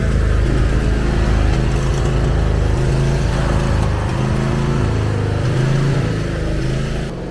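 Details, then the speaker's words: John Deere zero-turn mower engine with the governor linkage oscillating: speed rises and falls instead of holding steady; idle hunting, owner suspects the gas cap vent, later fixed with the exact cause unsure. "This thing is idle hunting. Um from what I read, it could be a few things."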